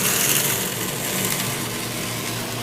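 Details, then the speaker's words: Acrylic centrifugal pump driven by an electric motor through a magnetic coupling: hissy, rock-like cavitation rattle eases into a steady smooth rush as the suction valve is reopened, raising suction pressure until flashing stops. "increases the pressure on the suction side of the pump less and less vacuum until we no longer flash and we no longer cavitate and that's a happy pump"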